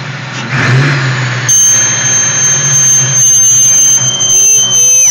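Sharp high-pitched squeal rides over the revving engine, holding steady then sliding down as revs fall; source not identified. Cause suspected, not confirmed.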